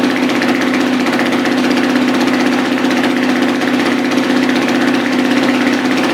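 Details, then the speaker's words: Dirt bike single just after a piston change, more compression, no oil pressure yet and very tight: a steady, even, mid-pitched idle drone with no knocks or misses, idle expected to come up high soon; normal idle. "so the idle is going to start coming up on its own very soon there's no oil pressure so everything's very very tight so you want to give it a second you'll hear the idle come up high"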